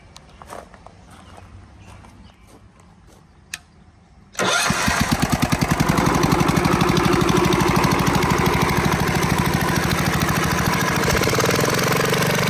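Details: Kohler K181 on a log splitter, after flywheel repair, new points and new carburetor: a few quiet clicks, then it catches at once and settles into an even, steady putter with no misses; starts and runs healthy.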